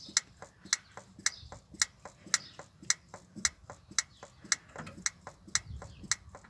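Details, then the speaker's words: 1962 Land Rover Series 2a 109 LWB during rebuild, priming fuel with the mechanical fuel pump lift handle to fill the sediment bowl: sharp steady clicking just under two per second but nothing coming through; pump stripped and regasketed. "I don't think I've got to bleed it or anything. That's an issue, isn't it? Nothing coming through."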